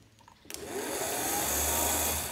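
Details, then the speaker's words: Negative-ground starter motor for a 750cc motorcycle engine, bench-tested unloaded: quiet, then a sudden high whir as it spins up, runs evenly and winds down. "Here plus and as soon as we get both it starts to turn."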